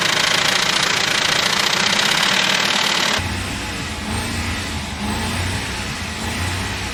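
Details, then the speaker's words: 2006 Ford F-150, 198,000 miles, oil-starved engine, restarted after water was cranked out with plugs removed: rough uneven idle with hard regular knock about three or four times a second over hiss; bent connecting rod. "uhoh it definitely has a bent Rod is it pushing stuff out it doesn't sound that great"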